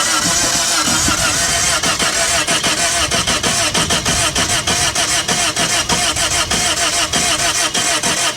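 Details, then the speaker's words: Toyota at salvage auction, run-and-drive on booster pack: just after start-up, sharp tapping about a hundred a minute over rough idle with occasional deep thump; sounds like uneven compression, internal knocking, cause unconfirmed. "i heard stuff rattling knocking around there was a definite deep thump coming out of there every once in a while"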